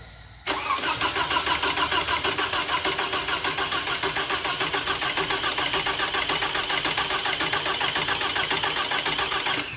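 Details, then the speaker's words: Toyota/Scion 2.4L after head gasket replacement, coils unplugged: steady starter churn about 3.5 pulses a second with no firing, cranking to build oil pressure on the timing chain tensioner before first start. "Now that we have everything put back together, I'm going to leave the coils unplugged. I'm going to go in the car and crank it. The reason I'm going to do this is that'll help oil everything and get the oil pressure up on the tensioner before I go to start it."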